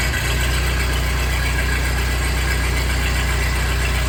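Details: 1948 Ford 8N tractor four-cylinder just reinstalled after a full rebuild, first start in neutral on choke with a new carburetor possibly not yet adjusted: steady, even low idle with a regular beat and no knocks or misses. Normal idle; a leak still needs fixing.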